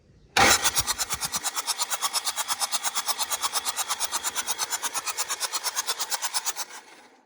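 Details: Fast, even cranking pulses, roughly eight a second, for six seconds with no firing on a CAT 307SSR mini excavator's Mitsubishi diesel during injection pump installation; battery noted low, fuel system then bled and pumped; won't start.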